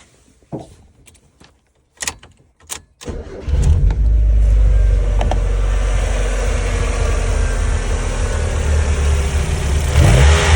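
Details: 1994 Mazda Miata four-cylinder at idle: starts and settles into lumpy, stumbling idle misfire with rough throttle tip-in and backfiring; ran fine with MAF unplugged; traced to a failed, clogged injector.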